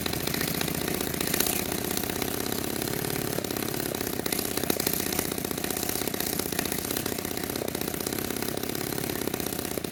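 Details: Restored 1946 Power Machinery chainsaw, made in Vancouver BC, first run after restoration: rapid buzzy two-stroke firing holds steady and even with no misses or knocks; normal running.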